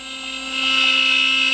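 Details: CNC router carving in pine, about two-thirds through the cut. Steady high whine swelling slightly as the bit bites in, even and unbroken; spindle cutting smoothly with no chatter.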